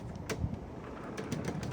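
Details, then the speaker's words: LG refrigerator LFX25960ST (ER F1, fresh-food section not cold) after evaporator fan motor and blade replacement: previously loud fan now only a soft, even rush of air over a faint hum, no rattle, running normally. "Nice and quiet. All you can hear is just air. Sweet, beautiful air."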